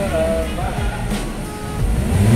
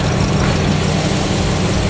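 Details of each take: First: Toyota Agya GR Sport that hesitated and misfired on acceleration. After the injector, spark plugs and coil were reinstalled, the engine revs up on sudden throttle and settles back cleanly with no stumble or delay: normal acceleration. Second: Toyota Agya GR Sport petrol engine idles low and uneven with a lumpy shake. Cylinder misfire, with the diagnostic tool logging cylinder 3.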